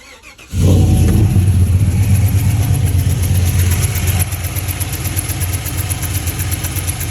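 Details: GMC V8 direct-injection engine, customer suspected a lifter tick: the cylinder 2 injector seal had melted and blown out, leaking compression; it starts and idles with a sharp, steady tick. Fixed with a new injector and seals.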